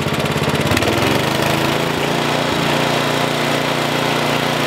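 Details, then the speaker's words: 1973 Simplicity 738 riding mower, unused two years, carburetor main jet needle adjusted after it died at low throttle: throttle at low, steady even putter with no stumbling; clean stable idle. "so I have it in the low position right now it's actually idling"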